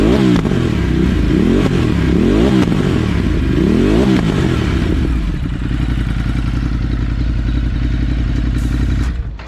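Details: 2018 Ducati Multistrada 950 freshly fitted with a Dynojet Power Commander V, fuel map not yet tuned: loud twin revs up and drops back several times, then a rough idle with small puffs off throttle; owner attributes the popping to the unfinished fuel mapping.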